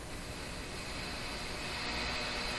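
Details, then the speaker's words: Grundig Prima Boy Luxus portable transistor radio on a bench power supply: constant, even hiss with no rhythm or hum from the speaker; noise from the imperfect power supply. "So you can hear the sound of the power supply. It's not a perfect power supply."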